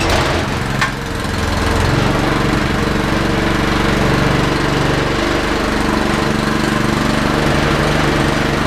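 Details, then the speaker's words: Honda water pump small single-cylinder engine after carburetor replacement, started choked: steady even running with no surging or dying; carb swap cured the earlier surging and quitting once the pump kicked in. "Guess what? That took care of it. That took care of the problem."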